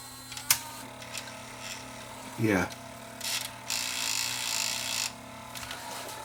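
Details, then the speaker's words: Panasonic S-VHS-C camcorder in playback: short handling clicks, then a thin, gritty whirring hiss as the head drum spins up, the whole camera vibrating. Bad drum motor bearing; tape won't eject, and it is judged not repairable. "got a bad bearing you can hear it you can hear that racket that that sings baking"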